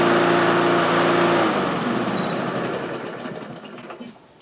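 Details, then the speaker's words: Kohler-engined lawn mower, used recently to pick up leaves, running before a planned carburetor replacement: an even, steady small-engine drone, then a clean coast-down to stop. Normal running. "okay so the lawnmower runs perfectly fine"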